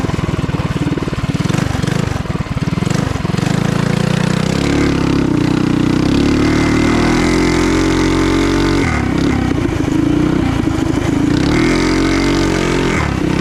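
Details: Trail Master MB200 mini bike, stage 3 223cc single, open exhaust, after metal bushings replaced the rubber engine-cradle bushings: revs and holds a steady busy drone under load, no chain slap or skip; before, the cradle twisted under power and skipped the chain. Normal.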